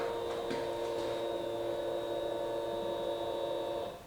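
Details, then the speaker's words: Fuel pump priming at key-on on a 2022 Honda Grom after installing a PCX150 fuel injector (torqued to nine foot pounds) ahead of a 140cc big bore kit; steady high whine about four seconds, primed longer than usual, then cuts off cleanly; normal priming. "can hear the sound actually sound like it primed that time longer than it usually goes turn it off and let it go one more time"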